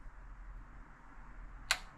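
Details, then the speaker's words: 1972 Mercedes-Benz 350 SL (4.5) R107 cold start injector, energized with jumper wires to the battery: quiet, then two sharp clicks as power hits it, showing the injector actuating normally. "So I'll just keep it open for a little while, and then you can hear it clicking, and then the system should be ejected."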